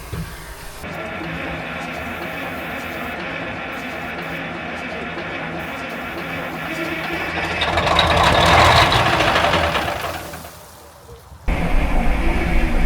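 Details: 1960s military crane diesel, 81 original hours, long sitting, cranked with starting fluid after solenoid trouble: long steady churning crank about four beats a second, swelling briefly then dying back; not picking up fuel yet.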